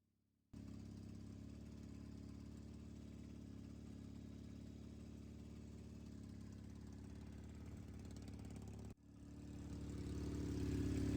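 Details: Triumph Bonneville T100 on drag pipes after TPS adjustment and stage 4 ECU tune, warming toward 70 degrees: steady, even low idle burble with no misses or knocks, then revs climb smoothly; idling healthily.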